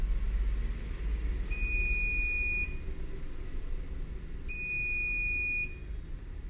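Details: Two long shrill alarm beeps about three seconds apart from a CP Plus DVR's buzzer, heard while showing how to switch off the beeping in KVMS Pro.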